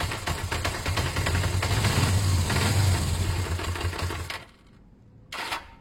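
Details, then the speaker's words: Motorcycle idling with a light, regular tapping about three times a second: an unhealthy engine knock. It revs fine and isn't lacking power; owner suspects it may just need fresh oil, cause not known. "okay so yeah that's not something too healthy at all at this stage is that engine knock"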